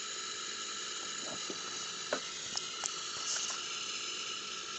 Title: Td5 strange noise from FPR